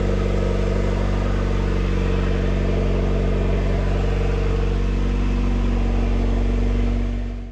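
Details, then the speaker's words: Honda CR-V RD1 after head rebuild, newly turbocharged with manifold, turbo, wastegate and oil lines, open partial downpipe; turbo sat a while and needs oiling to spin freely. Steady deep throaty idle, even drone, no knocks or misses, cuts off cleanly. Normal running. "we fired it over. It sounds pretty throaty. I mean, granted, it's open downpipe, but it sounds good."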